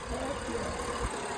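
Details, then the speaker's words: 2010 BMW E70 after fixing crank-no-start caused by a 5V sensor reference shorted to B+, faults cleared: steady even idle with smooth low rumble, no misses or knocks; engine running normally. "So car is running now. Customer's happy."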